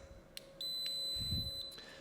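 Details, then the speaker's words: Thermal Grizzly WireView Pro II on a 600 W GPU cable under Furmark load: piercing repeating beep warning of current imbalance. Pins 1 and 2 are above 9.5 A while the rest are below, though total power draw is fine. "Pin 1 and pin 2 are out of spec, so they're above 9.5 amps and the rest is below. So the total power draw is fine, but we have a current imbalance."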